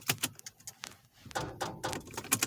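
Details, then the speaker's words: Corvette that won't start, with something draining the battery though it has gas: light scattered clicks each time the key is tried, no turning over; starter clicking, no crank, cause not confirmed. "what is that i don't even remember doing nothing like this what is this clicking mess"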